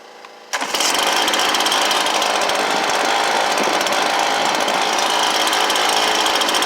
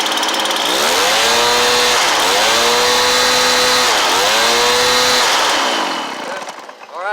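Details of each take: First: Stihl BR430 blower after replacement carburetor install: loud steady two-stroke buzz holding a high even speed while being set; high idle screw needed only about an eighth turn left; engine running during idle adjustment. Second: Stihl BR430 blower after replacement carburetor install and about an eighth-turn high idle adjustment, air filter refitted: revs up and holds cleanly through several throttle blips, returning smoothly before shutdown; judged good to go; normal running.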